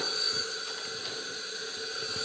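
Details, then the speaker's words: Honda CRF250R leak-down test: steady airy hiss of pressurised air escaping through throttle body and slightly from exhaust, possibly a little off TDC; valve leak confirmed, head gasket and piston seem fine. "But if I open the throttle body, you can hear pressure escaping, but you can also ever so slightly hear, you can also feel that there's a little exhaust leak. We definitely have uh a valve leak here."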